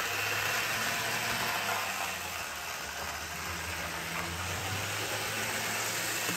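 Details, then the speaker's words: Older Bachmann GP40 locomotive, CP Rail, after cleaning and lubrication, running laps on test loop: fast regular gear chatter and harsh buzzing over steady motor hum, still too loud; owner suspects noise vibrating through body shell. "so I had a sneaking suspic"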